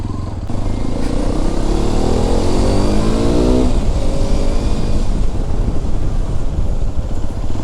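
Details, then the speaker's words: Hero Xpulse 210 on a test ride after a service to cure tappet noise: engine pulls up through the revs with an even, deep exhaust note and no top-end ticking; sounds normal and healthy. "ವಾಯ್ಸ್ದು ಏನ ಅಷ್ಟು ಗಾಡಿ full ಒದರಾತಿಲ್ಲ normal ಆಗಿಐತಿ first ಹೆಂಗ್ ಬಂದಿತ್ತಲ್ಲ ಹಂಗ sound >> ಇದು actually ಚೆನ್ನಾಗಿರೋದು"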